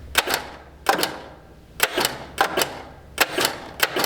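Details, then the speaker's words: 1963 Plymouth Valiant buried in woods for 41 years: turning the key gives sharp double starter clicks about once a second with no cranking, engine locked up tight: starter clicking on a seized engine. "no just a starter clicking she's locked up tight"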